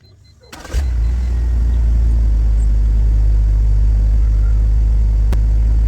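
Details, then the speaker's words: E46 BMW after refitting a missing valve cover bolt that caused a vacuum leak, misfire and lean running: starter whirs, engine catches within a second and settles to a steady even idle, no hiss or miss while warming up. "all right so I'm gonna start the car a little warm up and I'm just gonna listen to the engine if it has any vacuum leak any hissing sound"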